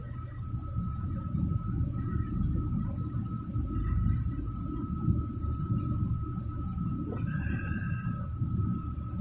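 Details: Package heat pump unit, heat mode call (no heat complaint): rough, steady low buzz with faint high whines when heater turned on; bad contactor.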